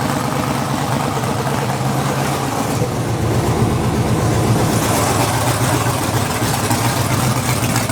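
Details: LS V8 swapped into a budget Mustang drag car, first start through open headers: a loud, even V8 rumble with steady firing and no knocks or misses; the engine runs clean, with slight smoke likely from greasy fingers.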